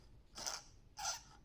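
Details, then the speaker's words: Removed alternator's overrunning pulley clutch turned by hand with a small screwdriver; three short dry squeaks as it binds instead of freewheeling, noisy compared with a new one. The car had a battery warning light on. "And can you hear that squeak? So it is moving in freely in one direction but it is restricted. That should be much freer than that."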